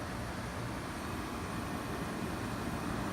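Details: 5500 BTU window air conditioner compressor running on a Samlex 600 W pure sine wave inverter (1000 W surge); steady even drone, no clatter or stalling, battery at about 11.9–12 V under load.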